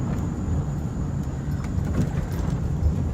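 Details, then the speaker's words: 2005 Dodge Ram 1500 4x4 driving after swapping in a salvage-yard 2003 rear axle for the old one that was noisy on throttle, pinion suspected. Steady low road rumble, no whine or howl rising with speed. Normal differential operation. "so sounds much better this is great this is awesome man"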